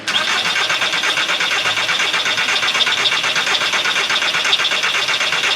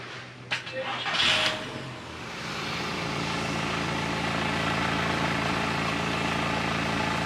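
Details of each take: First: 2003 VW Bora, only 2000 miles, long-stored barn find, old battery: starter spins the engine at an even, steady pace but it never catches. Crank, no start; fuel pump suspected dead from old fuel, fuel not reaching the rail. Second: 2003 VW Bora with about 2,000 miles, stood nearly 10 years; after draining and refilling the tank, a new in-tank fuel pump and a full service, the starter cranks briefly, it catches with no smoke and settles into a smooth, steady idle; healthy.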